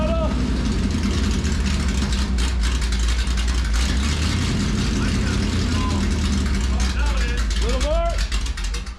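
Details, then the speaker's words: 1973 Dodge Dart, 340 V8, 727 automatic, open rear end: deep steady rumble under light throttle in drive, drivetrain turning smoothly without knocks or slipping; transmission and rear brakes work. "however this car runs and the transmission Works those Wheels were spinning when we were in reverse and drive and the rear brakes work"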